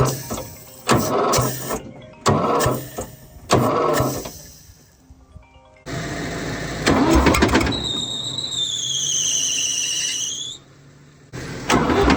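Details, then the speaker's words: Fiat 450 Special tractor on a very cold day, after ATF was worked out of the cylinders: repeated cranking, then rough catch with a rising squeal over harsh clatter; a snapped crankshaft was afterwards suspected. "right everybody if you haven't worked it out yet from the noises this tractor is rooted uh definitely something not right"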